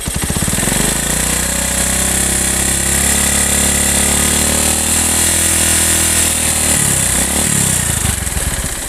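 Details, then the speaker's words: Honda Megapro motorcycle at about 3/4 throttle, 3,000–5,000 rpm: hard metallic clatter over the engine; teardown confirmed a damaged piston or rings, likely from running out of oil; piston slap. "saya cek ternyata positif yang rusak di bagian sehernya kemungkinan besar Megapro ini pernah kehabisan oli"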